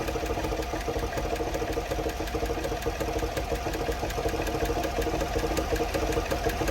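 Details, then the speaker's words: 2015 Chevy Silverado 6.2 L direct injection with cylinder 5 misfire, compression normal: steady idle with light uneven tick about two or three per second after rocker loosened; misfire gone, valvetrain still noisy, cause a hydraulic lifter. "there's still something going on there but we got rid of the misfire that's our problem it's that it's that lifting"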